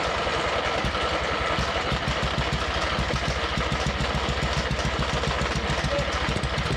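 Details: Abandoned MTD mower twin engine, new head gasket on one side, smoking oil, one cylinder barely firing, crankcase breather popping: uneven popping chuff about three beats a second, fires but stumbles, never settles; sheared flywheel key throws timing off.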